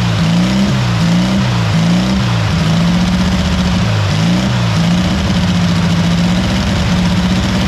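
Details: Barn-find VW Beetle that sat 30 to 40 years in a field, started after wiring fix and fitting the petrol pipe: steady low flat-four putter with brief blips, settling to a smooth, even idle.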